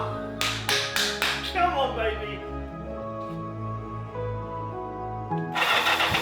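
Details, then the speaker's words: 1984 Kawasaki GPZ750 Turbo, sat unused for many years: a few cranking chugs catch, then slightly uneven but steady idle; starting and running again. "Kind of idling."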